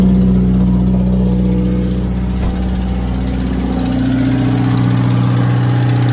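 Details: 2018 Subaru WRX base with Stage 1+ COBB tune, COBB intake and muffler/resonator delete: idle rising slightly with a quick light clicking about four a second. Owner suspects rod knock; cause unconfirmed.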